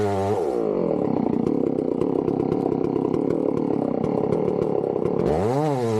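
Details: Chainsaw started cold for tree felling: revs up, holds a strong, even high-pitched buzz while cutting, then winds down cleanly with crisp throttle response. Normal running, healthy saw.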